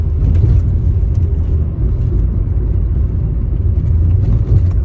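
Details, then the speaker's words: Used car driven over a hard pothole during a pre-purchase check; only steady low road rumble, with no clunks or rattles from the suspension; suspension sounds normal. "that was quite a hard pothole there, and there weren't much of a noise or anything come from there."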